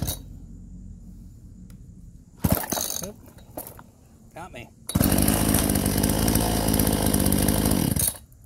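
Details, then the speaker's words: Chainsaw, possibly a Homelite around 46cc, after repair: gunked carburetor cleaned ultrasonically, screen replaced and carb tuned, running Klotz oil; after a few pulls it catches and runs at a steady high buzz, running normally. "I think we got this straightened out though. I'm gonna turn it on here. Tuned up the carburetor a little bit."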